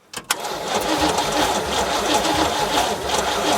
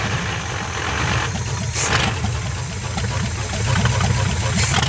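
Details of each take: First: 1973 GMC square-body farm truck, small-block Chevy V8 (badged 350), parked over 20 years: starter churns engine steadily but it never fires, no spark seen; ignition points need sanding/cleaning. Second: 1973 GMC square-body small-block Chevy V8, parked since 2001 and revived, runs with a deep burble rising on throttle blips, firing evenly without knocks or misses; it has lots of oil pressure and sounds like a good running engine.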